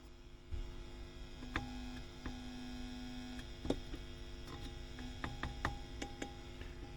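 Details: WEM Musette Mk 2 valve amp after removing dust from the board: steady low hum with sharp ticks and crackles; noise persists with the inputs grounded, microphonic Mullard preamp valves suspected, cause not confirmed.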